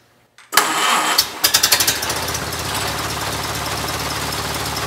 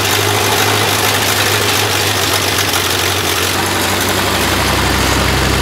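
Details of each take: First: Rebuilt 1932 Ford Model B four-cylinder on the stand after new points, retiming and float adjustment: cranks briefly, catches within a second, settles into even steady idle, smooth and quiet, no misses or knocks; normal start and idle. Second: Freshly rebuilt 1932 Ford Model B four-cylinder, very first start: low lumpy idle with uneven chuff and occasional dropped beat; misfire, later addressed with new points, retiming and float adjustment.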